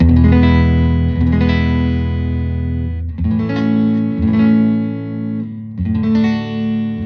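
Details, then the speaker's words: 1974 Fender Super Six Reverb (100 W, six 10-inch speakers) after restoration, vibrato channel with tone controls at 5, input volume about 3, master at 5: clean full chords with heavy bass, no hum or crackle; normal clean tone. "there's so much low end on this amp because of those uh 610 speakers there's just a ton of sub coming out which is awesome"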